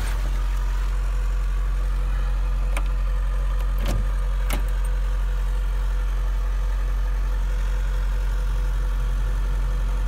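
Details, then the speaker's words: Hyundai 140 excavator diesel cold start at 22 degrees, the coldest day it has been started: it fires right up without fuss into a deep, steady, even idle with no stumbling or knocks, "humming like a kitten". Normal cold idle. "wow that sucker started right up holy cow wow Hyundai you got your crap together wow that thing didn't fusser anything that is the coldest day we started a 140"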